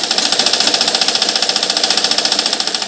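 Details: Household sewing machine that catches and jams, with its bearings and joints completely dry and never oiled: a rapid, evenly spaced, harsh metallic clatter that is loud for such a small machine; the dry, unlubricated mechanism needs oiling.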